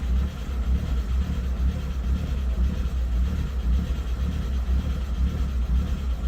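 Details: 2003 VW Jetta 1.8T AWP, after head gasket, timing belt, water pump, manifold gaskets, vacuum lines and PCV replaced: low, uneven idle surging about twice a second, never steady. Rough idle, cause not found.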